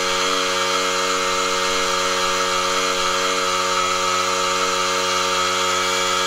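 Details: Air compressor powered by a DIY 48V LiTime battery and 3000 W inverter: a steady buzzing motor whine holds constant pitch throughout, no stalling or labouring; the compressor runs normally on this supply.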